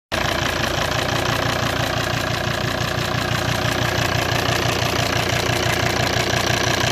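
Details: 2008 Volvo XC90 automatic, D5 diesel, idling: steady light ticking about three a second from behind or at the injector rail; car runs fine, injectors suspected.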